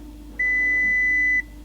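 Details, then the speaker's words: Half-repaired VW Touareg at key-on after sump refitted: one clean high-pitched beep about a second over quiet background, low tyre pressure and other dash warnings, lights unplugged, no coolant; warning chime at ignition on. "Put key. We got a key. Low tyre pressure warning. There's going to be loads of warnings."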